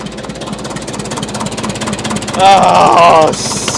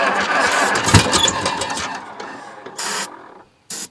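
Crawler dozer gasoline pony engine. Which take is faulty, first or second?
second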